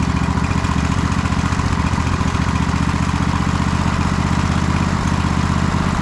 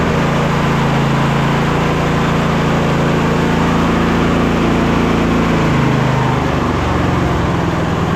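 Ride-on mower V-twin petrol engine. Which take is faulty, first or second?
first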